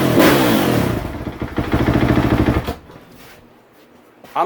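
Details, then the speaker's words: 2015 KTM 450 SXF after cold-start knob and idle adjustment, cold start off, despite a slipping starter clutch; fires promptly into a crisp even single-cylinder rev with quick throttle blips, then settles: normal start and run. "well if the starter clutch was gripping better probably would have just fired right up there we go"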